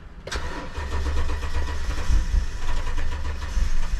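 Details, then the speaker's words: 2012 Toyota Tundra crank no-start, fuel gauge reading full, key light showing no key issue: the starter cranks steadily with a low chugging rhythm and the engine almost catches but never fires. No fuel suspected, not confirmed. "It's almost starting. Sounds like it's no fuel to me."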